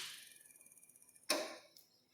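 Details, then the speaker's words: Single-phase induction motor with internal centrifugal switch, switched off after running anti-clockwise: fast even ticking slows on coast-down, then one sharp click as the centrifugal switch recloses its contacts, normal. "esse barulhinho que fez é quando ele no caso fechou os contatos de novo"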